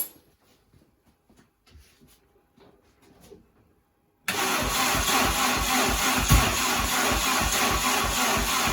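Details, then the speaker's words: Mini with C20XE engine, first start after new fuel lines and cooling system work, needs tuning; catches and runs rough and loud with uneven low pulses; misfire, owner suspects it is firing on the exhaust stroke from plug leads placed wrong for the 1-3-4-2 order. "that sounds to me like it's firing on the exhaust stroke i wonder if i had that right the first time it's one three four two"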